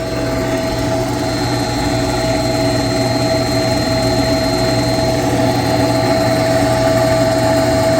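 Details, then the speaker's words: Close-up of a noisy water pump on a chiller being checked with a vibration analyzer: steady loud hum with constant whine and rough rumble underneath; unclear whether the bearings or just the fan is at fault, cause not confirmed. "I'll put you up close you can hear how noisy this pump is but is it the bearings or is it just the fan well let's find out"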